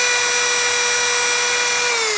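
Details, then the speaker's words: New Dremel 4000 set at 30,000 rpm: steady high-pitched whine at one even pitch, no rattle, sputter or cutting out; running smoothly at full speed, reference for comparison with worn brushes. "goes to 30 000 rpm really really smooth"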